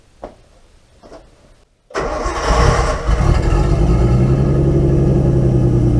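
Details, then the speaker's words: Nissan 240SX S13 with RB20DET inline six, after replacing all six ignition coils (bad coil suspected): engine catches, then idles with an uneven, stumbling beat instead of a smooth hum; still misfiring, cause not confirmed. "So, yeah, it still misfires."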